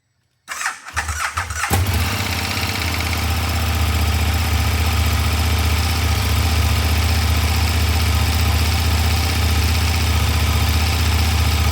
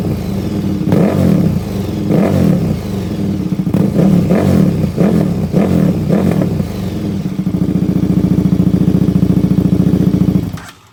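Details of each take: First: KTM 1390 Super Duke on the stock exhaust, cold start after sitting for quite a while: a starter whirr, a quick catch, then a steady, even idle rumble held smoothly for ten seconds, a healthy cold start. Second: KTM 1390 Super Duke twin with a newly installed Dominator full exhaust, not yet tuned, fault codes present: repeated sharp revs rising and falling, then a fast steady pulsing idle, a very loud raw exhaust note.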